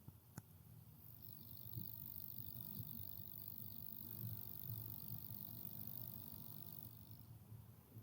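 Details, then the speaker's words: Power Queen 2000W high-frequency inverter idling, microphone placed right next to it, fans off: very quiet steady low purr with a faint thin high whine, normal electronics hum inaudible beyond about 1 meter. "I think it's the electronics inside that make this kind of noise, but if you're 1 meter or 4 feet away from it, you don't hear it anymore."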